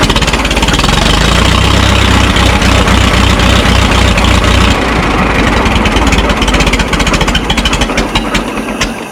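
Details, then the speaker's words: Minneapolis Moline Z tractor after rewiring; carburetor idle screw turned the wrong way: plods at a slow, lumpy, laboring idle that sags lower, nearly stalling; idle speed too low. "Seems like it's laboring. I don't know if I have a low idle set screw or Heat. Heat. All right. It seems like it has a like a really slow idle."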